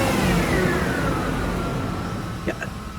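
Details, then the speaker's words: 2001 Lexus ES 300 Coach Edition idling with the AC just switched off: a thin whine that sags in pitch then holds steady, which the owner thinks is not the engine but an accessory, suspecting the alternator. "yeah I don't think that's the engine I think that's an accessory I'm thinking the alternator"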